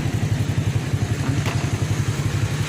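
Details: 1997 Honda Astrea Grand Black Impressa motorcycle, after electric start on a restored battery: steady even low putter at idle with regular firing pulses, no misses or knocks; running smoothly.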